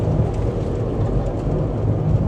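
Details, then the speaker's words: Car on test drive at about 25 mph, suspected front wheel bearing issue: deep constant rumbling growl under road noise that gets louder with speed; transmission also shifting hard; worn wheel bearing growl. "can we try to get a little bit more speed because obviously it's gonna get louder the faster you go"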